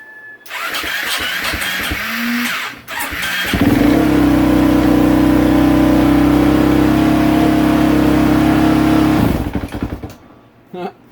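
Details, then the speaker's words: 2015 KTM 450 SXF hard starter, after a fuse replacement: cranks, catches and holds a steady fast idle on the choke for about six seconds, then dies as soon as the choke is shut off; yellow cold start knob misadjusted. "soon as I shut off the choke she died but we'll get that straightened out"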